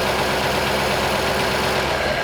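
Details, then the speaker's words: 1939 Ford convertible sedan flathead V8 revived from barn storage idles with a steady, even burble, no skips or knocks, right off the choke, just after a faulty distributor was sorted and ignition restored; normal idle. "listen to that thing like straight away that's nut right off the choke"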